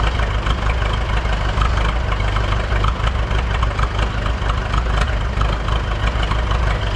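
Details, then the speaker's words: Buda D175 diesel forklift running B100 biodiesel for a week, cold idle at no load: steady low clatter with an even beat, no skips or stumbles; the long-standing cold miss is gone. "so that that's pretty normal where it'll miss when it's really cool when you first start it up but that exhaust will clean up here in about three minutes"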